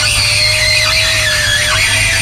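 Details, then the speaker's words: 2005-2009 Saab 9-7X/GMC Envoy power window, lowered after silicone spray: a loud, steady high-pitched squeal throughout travel; owner unsure whether it comes from the motor, the regulator or elsewhere before replacing the motor and regulator assembly. "now i am interested to see why it's squealing so bad i want to know if the squealing's coming from the motor or coming from one of the blades or if it's coming from the wind from here because i sprayed this with silicone spray"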